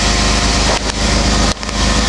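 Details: 2003 Dodge Intrepid 2.7 L, under 84,000 miles, rebuilt engine under 40,000, running rich from a faulty computer: loud idle with raspy puffing chuff from leaking aftermarket exhaust at the welded first joint and muffler joint, fumes entering the cabin.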